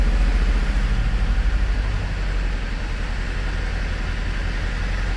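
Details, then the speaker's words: Mercedes Sprinter diesel van just after injector replacement and coding; deep idle pulsing unevenly about three beats a second, settling a bit but staying lumpy; always needed coaxing; rough idle. "she's running a bit about a lot about Lumpy but it's needed it's always needed coaxing"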